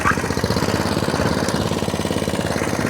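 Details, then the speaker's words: Atco Balmoral 17SK cylinder mower after fuel tap leak fix, cutting into the grass box: quick regular firing pulses at even speed, no skips or mechanical noise; engine runs cleanly, machine done. "it's chucking grass out the box lovely comes with a metal roller does it everything it says it should do"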